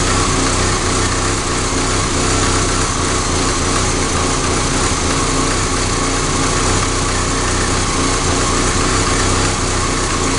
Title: ka24de 1991 240sx rough idle